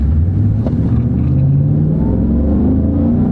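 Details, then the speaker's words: Chevy Silverado V8 pickup accelerating from a stop on a country road test. A deep V8 rumble climbs smoothly in pitch, with a smooth transmission shift and no knocks or slips. Healthy acceleration. "Sounds good. Smooth shift. Hey, still runs pretty much the way it did off the factory showroom floor, really."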